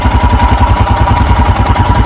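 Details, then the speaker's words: 2021 EFI Royal Enfield Himalayan, cold start with the choke/idle lever raised: idle creeps up to about 1200 rpm with an even, steady single-cylinder thump and no misses or knocks. Normal fast idle during warm-up. "i hear the idle sneaking up and there we go we're up around 1200."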